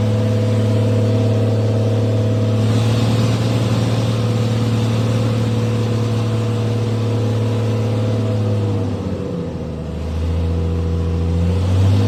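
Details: 1996 Dodge 2500 diesel with no turbo fitted after turbo failure: rough, uneven note stumbling as revved and dropping back; overfuelling with not enough air for the fuel.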